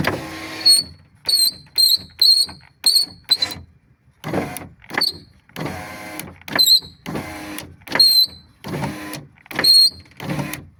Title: #Субару Легаси свист стеклоподъёмника#Subaru Legacy window lift whistle